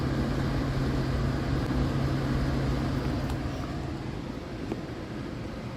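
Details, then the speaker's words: Geothermal heat pump after blower motor replacement, water loop running, fan ramping to high speed: steady low even hum, no rubbing, grinding or clattering; new fan motor sounds healthy. "There She Goes going the highspeed ramp on oh she sounds good sounds good"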